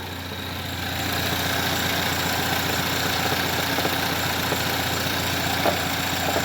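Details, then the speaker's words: Engine idling during a check for an idle stumble: a light, uneven knock-like rattle comes from a loose plastic engine cover resting on the valve cover. "oh never mind it's just a damn cover i'm pretty sure i locked it into its place there's a like a rubber mount that it falls in and i'm 100 sorry i locked that one in but there doesn't seem to be anything up front and it's just resting on the valve cover here causing that noise"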